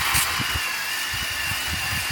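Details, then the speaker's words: Caterpillar bulldozer (D8H or HD11): sluggish, uneven starter chugs, only a few turns a second with long gaps; slow cranking, the battery is suspected to be wearing down. "Sounds like our battery's wearing down. It's another bad sign for the day."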